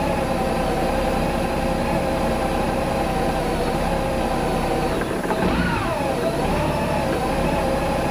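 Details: Warm idle after 7–8 minutes running, about 45 degrees outside, radiator fan never cycled: idle holds then dips and wavers before recovering; rough surging idle, owner suspects fuel pump voltage surge, unconfirmed.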